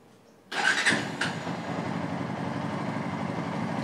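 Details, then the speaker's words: Motorcycle engine started right after an oil change with Motul 7100 (1100 ml filled, oil filter and O-ring replaced); quick crank and catch, settled even idle, steady beat, no rattles or knocking; sound changed and now smooth; normal idle. "సౌండే మారిపోయింది, మొత్తం స్మూత్గా ఉంది."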